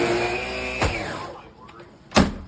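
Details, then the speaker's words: Brand-new Shark LA702 Rotator Pet Lift-Away upright vacuum just out of box: motor whirs with steady hum, fades and dies, then a sharp clunk; once pushed back it sounds and smells funny, wand and lift-away don't work; cause unknown. "Turn it on, doesn't make any noise. The bottom will turn on. Once pushed back, sounds funny, smells funny."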